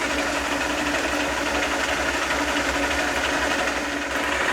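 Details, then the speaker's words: South Bend lathe gear train after adding a pumped oil lubrication system with guard and reservoir: steady fast meshing whir with even low rumble, no knocks or grinding, getting quieter with each oil pump; normal gear train running. "oh I like it gets quieter every time I pump it I can pump it all I want cuz I'm not wasting oil now"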